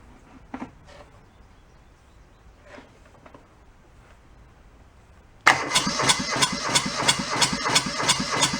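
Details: Junked small Kubota diesel from a scrapyard: quiet handling, then steady starter cranking about three turns a second that never catches. Cranks, no start; air leaking into the fuel hose suspected, possibly a missing pre-pump, not confirmed.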